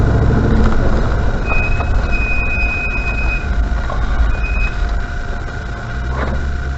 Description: A video showing how much brake squeal my RRC currently has.